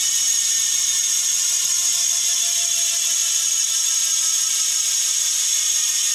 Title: Bontrager Aeolus Pro 3V w/DT Swiss internals - Freehub sound test